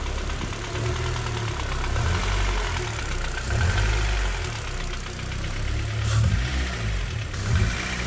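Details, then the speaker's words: Honda K20 engine in a K-swapped Civic at idle; low, uneven thudding knock pulsing from the middle of the block, owner unsure if rod bearings, possibly piston slap. "sounds a bit iffy down around about here though in the middle so i'm not convinced it is the rod bearings 100 could well be pissed and slap like brock suggested"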